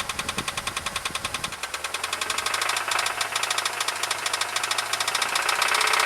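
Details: Jeep Grand Cherokee, started after an oil change to high-mileage synthetic oil plus Hyper Lube additive: sharp, rapid ticking knock about three per second over idle that keeps going; owner suspects rod bearings, not confirmed.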